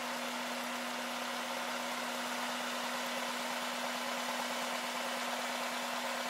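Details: 2000 Honda Accord after intake reinstallation, with a recurring idle air control valve problem: steady, even idle with smooth hum and no hunting or misses; check engine light for idle still on.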